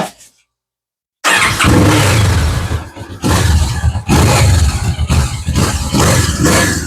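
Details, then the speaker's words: Kawasaki Vulcan 650 S twin on its factory exhaust, before the aftermarket swap: fires after a second and settles into a deep, muted rumble with a few throttle blips. Runs cleanly, though the owner finds it a little quiet. "So first thing is I'm going to fire this up, that way you can hear the factory exhaust."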